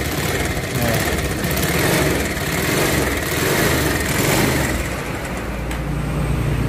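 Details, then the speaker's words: Bajaj Pulsar 180 after engine rebuild with parts replaced, first start: uneven idle with dull knocking under rattly top-end clatter; worn connecting rod and noisy camshaft noise remain, but breather-hose smoke is gone. "belum lagi suara dari noken as yang licik banget"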